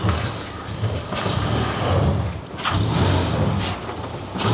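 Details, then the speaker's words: Ford reversing slowly: harsh metallic scraping with each brake application, caused by seized calipers with a stuck-out piston damaging the pads and badly scoring the discs; discs and brakes to be replaced. "Mira, frena, frena. Cada vez que frena es el ruido."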